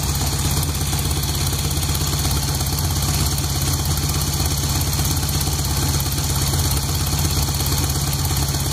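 Loud uneven idle with irregular pops and knocks riding over the engine, roughly three a second; fresh rebuild, source not yet pinned down. Cause suspected, not confirmed.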